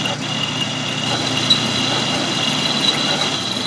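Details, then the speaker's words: Turning, on a lathe, the drum drive pulley bore of a Grizzly G0458 drum sander, bored out past the keyway slot: steady even hiss with a faint high tone and no rhythmic tapping, a smooth uninterrupted cut. "got the hole cut down down past the keyway slot so I'm not getting an interrupted cut"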